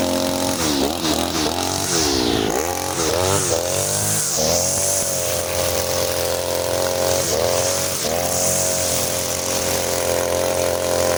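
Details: Side-mounted two-stroke brush cutter with nylon line, factory carburetor mixture screw too loose, as on new engines: revs bog and sag each time it loads up, recovering with a burbly note; rich, fuel-hungry and weak.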